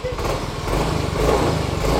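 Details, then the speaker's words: Motorcycle recently fitted with a new cylinder block but smoking white again: a steady, even putter at idle with regular firing and no knocks or misses, throttle responsive; idle normal, though a possible bearing-like sound near the gearbox area is suspected when revved. "tarian responsif normal gak ada masalah ya langsam enak ya"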